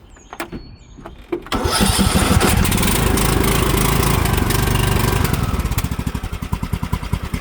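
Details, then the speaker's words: Riding lawn mower with a dead battery jump-started with a portable jump starter: a few clicks, then the engine catches and runs steadily, easing toward idle; it had died once when throttle was reduced too soon. "All right, guys. So, we are started. Well, we were It should be able to start now. It died on cuz I gave it I reduced the throttle too soon, but yeah, we It jumped in and started it."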